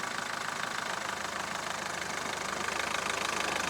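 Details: Mahindra Verito diesel with a complained-of rattle when reverse gear is engaged, tested in reverse while revving against the brake: even diesel clatter, no clunk or rattle; normal reverse engagement.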